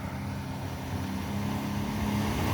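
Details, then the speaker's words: 2012 Sea-Doo Challenger with the supercharged 4-TEC engine, after the bent driveshaft behind its cavitation was found: a deep roar climbing smoothly to 6,000 rpm with no knock or rattle. Strong thrust not seen since the previous owner; normal high-rev run. "that's 6,000 right there that's a considerable amount of thrust that we have not seen out of this boat since its previous owner"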